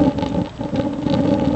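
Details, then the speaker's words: J-tube rocket stove burning pellets, used as an instant water heater: a steady hollow roar with a low drone and fluttering rumble. Too much combustion air is overdrafting the stove, though it still burns hot. "yeah the critical part is just getting the air flow right listen [Music] you hear that that's pellets now there's too much air still"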